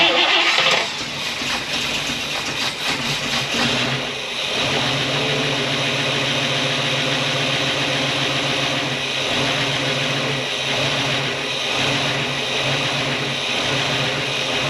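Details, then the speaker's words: 1964 Buick Electra 225 V8, 38,000 original miles, rebuilt after an engine fire: after a short rev it settles into a smooth, quiet, even idle with no knock or tapping; normal idle. "thing is quiet as a mouse it's nice when it exhaust"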